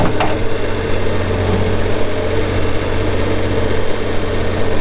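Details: 2019 Bobcat S450 skid steer diesel, 1,941 hours: steady, even idle rumble, low and constant with no knocks, misses or rattles; engine settles and runs smoothly.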